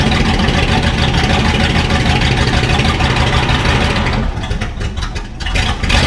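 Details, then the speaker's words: 1968 Ford F-100 V8 after tune-up: carburetor mixture adjusted, points adjusted and gapped, timing slightly adjusted, now starts better; loud raw fairly steady running with open exhaust, no muffler, no knocks or misses. "and then we adjusted the timing a little bit not much but that and now it starts a lot better so we're going to go take it for a test drive"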